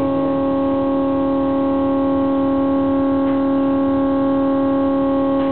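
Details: New LG refrigerator making a loud, steady siren-like wail at a fixed pitch without pause; cause unknown, owner blames bad design.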